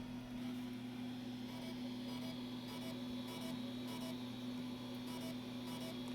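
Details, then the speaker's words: Brand-new floppy disk being formatted: a steady low hum with faint, evenly spaced head-stepping ticks as the drive struggles and hangs; the disk showed 221K of bad sectors. "Yeah, you can hear it. It's really struggling trying to format that disc."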